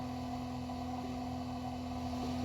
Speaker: right guys so it's not good to let your pump run dry but i just wanted to let you guys kind of hear it when it does go dry